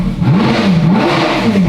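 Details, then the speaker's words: Ferrari F430 V8 ex-rental with rebuilt engine, warming up with no exhaust fitted: wavering lumpy note rising and sagging unevenly; idle hunts because the vacuum lines are disconnected. "It just doesn't like idling very well, does it? Well, your vacuum parts are off in it. Yeah, that's what it is. The vacuum parts causing it to idle."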